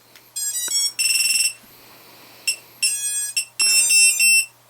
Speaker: unplug that so that's chirp in a way it's gonna do this for a minute